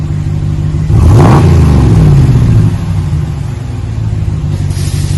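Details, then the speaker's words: 2020 Ram 1500 Big Horn with a new single chamber V-tube muffler, 5-inch black tips, resonators kept, stock front and factory cats. Deep throaty rumble swells with a quick rev and settles to a smooth even idle. Normal exhaust note. "Been installed a single chamber V-tube muffler. Giving a nice throaty sound."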